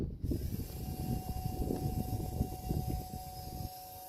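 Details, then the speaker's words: 2005 Toyota Prius, coolant control valve fix, bleeding air with the electric coolant pump run via its relay: faint steady mid-pitched hum under handling noise; pump running normally, to be run only briefly. "And you can hear the pump. You can hear the pump on."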